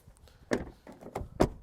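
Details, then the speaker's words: Car door closed after adjusting the door latch at home with a star (Torx) key: a few short muffled thumps, each closure landing cleanly without a harsh slam or rattle; the door now shuts softly. "Mana yumshadi o'zi. Sirasi yumshadi."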